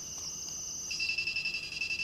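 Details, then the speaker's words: Arduino Uno with RF433 MHz receiver module and buzzer, while testing a remote that fails to decode; continuous shrill whistle dropping in pitch into rapid chirps from ambient 433 MHz radio pollution — interference chirping on buzzer. "donc ça ce sifflement strident qu'on entend en permanence c'est les signes on qu'on voyait très bien à l'oscilloscope c'est la pollution"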